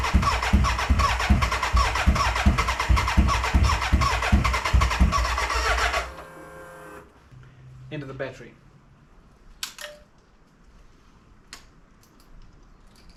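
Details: BMW K100 café racer build, first start attempt after electrical wiring, tank fitted and fuelled: about six seconds of steady starter cranking, roughly two and a half compressions a second, no catch; cranking no-start, owner suspects flat battery.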